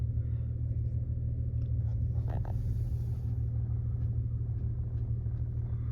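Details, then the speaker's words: 2000 Toyota Avalon XLS, 3.0L 1MZ-FE V6, just started after sitting, idle slightly high: even low rumble with steady beat, RPM not jumping, no surging or misses; normal smooth idle. "It's a little bit high RPM because I wasn't driving this car for much, I just started it. I want to show you the RPM is not jumping, the engine working smooth."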